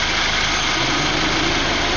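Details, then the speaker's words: BMW four-cylinder after a new radiator fan switch was fitted (the old switch caused overheating). At 205°F the electric cooling fan switches on with a steady, even rush of air and no rattle or scrape; it works normally. "the car hit a 205° and the fan the fan turned on"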